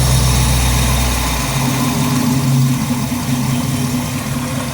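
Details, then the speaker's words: 1955 GMC truck with Pontiac V8, first start after replacing leaking intake manifold, idling 800 rpm: deep, even burble, no ticking or puffing at manifold, quiet at front, started first time; normal idle, leak fixed. "Yeah, man. She started right up the first time. Pretty quiet out here in the front."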